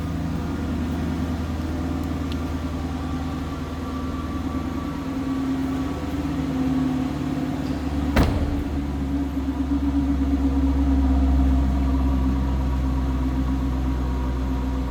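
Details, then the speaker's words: 2013 Dodge Challenger R/T Classic V8 at 17,704 miles, idling just after start-up with no check engine light. A deep, even burble at steady idle with no knocks or misses. The engine is healthy. "Not only does it look good, it sounds good."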